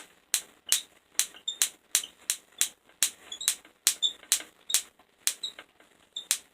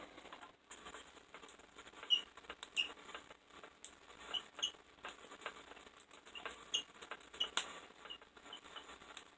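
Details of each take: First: Van de Graaff generator zapping a negative electrode, lighting up a tube: sharp dry snaps, roughly two a second at uneven spacing, with silence between; normal spark discharge, no heavy arcing. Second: Van de Graaff generator with no current flowing between electrodes: sharp, irregular snapping pops in bursts over a quiet room; static discharge popping, possibly from a dog hair on it, not confirmed.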